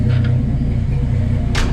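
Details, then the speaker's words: Turbo Centura with Holley carb and 3-inch exhaust, cold start: fires up without trouble and settles into a deep, steady, smooth idle with no misses or knocks; wastegate actuator vibrates slightly until warm. "but yeah as you can hear as she just fires up no problems at all and"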